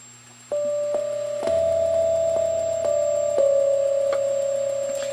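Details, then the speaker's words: MIDI-controlled Hammond tone generator that had 60 Hz hum, after inserting a passive two-channel hum destroyer (PHE 300) inline on the output: steady clear organ-like tones change pitch with no buzz; clean output, no hum. "perfect it sounds beautiful so this little puppy did the job for me"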